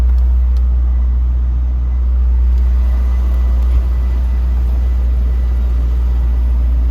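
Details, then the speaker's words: 2002 Chevrolet Corvette C5 Z06, stock LS6 5.7L aluminum-block V8, just started: deep steady idle rumble, no weird noises, lifter tick or rod knock. Normal idle. "good. No weird noises, lifter tick, nothing like that. Rod knock, none of that's going on."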